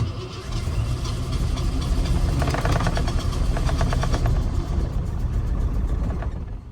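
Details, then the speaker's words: 1988 Ford F150 XLT Lariat 2WD: starter turns, the engine catches and runs a few seconds, then dies because the faulty ignition switch in the steering column cuts the fuel pump when the key is released. "See, it's right when it starts to die is when the ignition is shutting off the fuel pump."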